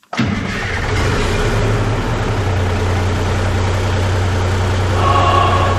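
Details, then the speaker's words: 5-ton crew cab truck on 24-volt batteries, first start in 6 months: catches on the first try, then a loud, raw, even diesel beat with no muffling, running with no exhaust fitted. "I was really excited to have the engine running for the first time in 6 months, but it was really, really loud. So, I knew I had to get to exhaust."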